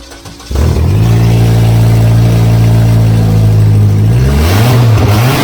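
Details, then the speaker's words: VW Beetle with the fuel pump switched on catches after a short crank, settles into a steady even run, then revs up and down cleanly. It now runs reliably after the no-start; the alternator and throttle work, but the brakes need bleeding. "but wow yep it uh it's running now reliably which is something I've been working towards for a while"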